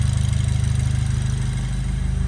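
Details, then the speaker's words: Freshly rebuilt BMW N20 (328i), first start after new timing components, running with no exhaust and no top sound insulation: loud raw pulsing roar, light top-end clatter normal for N20s, even firing; no leaks, runs smoothly. "On top, it sounds really clattery. Honestly, it sounds like there's something wrong with it, but all the N20s are like that."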